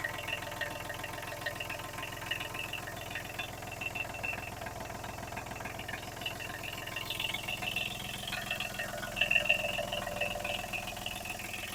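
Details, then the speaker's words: Kubota B7001 tractor diesel after replacing failed alternator that caused metallic noise, smoke and belt squeal, plus new radiator hoses and G11 coolant: steady, even idle with smooth regular beat, no metallic scraping or rubbing. "There are no more noises at all. The engine is working perfectly."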